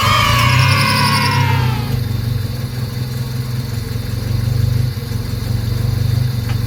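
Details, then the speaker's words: Honda EK hatchback, high mileage, at idle and revved; rough low rumble with an uneven puffing pulse about four times a second from a cracked exhaust manifold; new manifold bought to replace it. "Yep, sounds like shit. There's a crack on the manifold."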